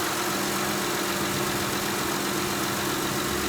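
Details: 2006 Honda Ridgeline, 256k miles, idling after replacing the AC condenser cooling fan with a used junkyard part: smooth, even idle, steady low hum, no knocking, rattling or vibration; the old fan motor caused knocking whenever AC was on.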